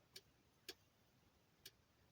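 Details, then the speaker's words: Mazda 626 GF with added aftermarket gauges: sharp irregular flasher relay clicks caused by electrical noise from the gauges, to be fixed with a small capacitor. "does the flashing relay it's just clicks when those are installed because those are too noisy"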